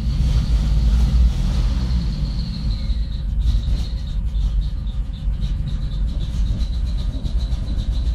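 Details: 1993 Chrysler Grand Voyager running poorly: uneven, stumbling rhythm with irregular low thumps and a faint high whine above; the engine is misfiring.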